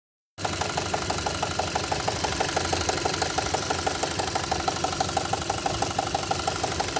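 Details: 2.0-litre CI engine at idle with a steady, sharp tapping about six times a second over an even idle; a distinct internal engine knock, cause not yet identified.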